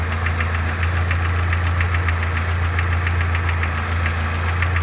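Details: Vectra 2.0 8-valve petrol engine, 324,000 km, idling warm: a sharp, regular metallic tap about three to four times a second, a piston pin knock that appears once the engine heats up; fix is replacing the piston pin.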